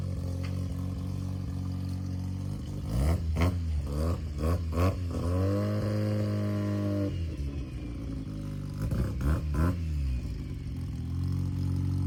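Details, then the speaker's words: 1993 Mazda RX-7 Turbo (FD) after a Vibrant stainless resonator was welded into the exhaust: much quieter, low smooth rotary idle with a few quick blips, less raspy, no rattles; sounds healthy. "It sounds good idling there, like it's got a good tone to it. It almost like it brought out the rotary tone a little bit more."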